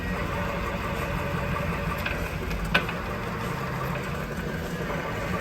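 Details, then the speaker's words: Velvet Drive 5000 Liberty Series 2:1 marine transmission from a 30' Sportcraft behind a Mercruiser 8.1, tested on a dyno in forward after the failed inner output bearing was replaced and resealed: a steady, quiet hum with no growl. "Okay, testing our Liberty Series 2-to-1 after a bearing failure. Sounds nice and quiet."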